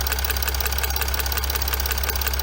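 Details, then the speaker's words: Chrysler 300C 3.0 V6 diesel (Mercedes W211 engine) at steady idle: rapid sharp ticking, roughly ten per second, from an unseated injector moving on its own and leaking. "Voilà, donc là il est décollé. Il bouge tout seul, hein."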